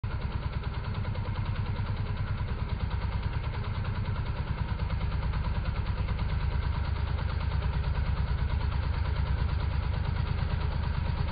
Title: Kettenbremse VS Vollgas.